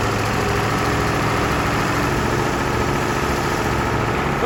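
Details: Massey Ferguson 1800 tractor diesel, already warmed up, restarted after fuel filter work: steady, even idle clatter with no stumbling or dying off.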